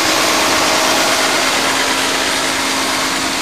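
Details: 1991 Mercedes-Benz 420 SEL after ignition repair and distributor cap refit (firing order 5-6-7-8-1-2-3-4): even, steady idle with no misses or stumbles, running a lot better; normal idle.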